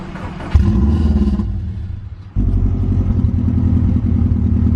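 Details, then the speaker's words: Abandoned Subaru WRX first start, after intake fix and O2 sensor reconnected: engine catches and runs rough with uneven puffing clatter over low exhaust rumble; exhaust manifold leak from manifold left untightened. "dumbass forgot to tighten down the manifold earlier and that's where we're getting our leak from"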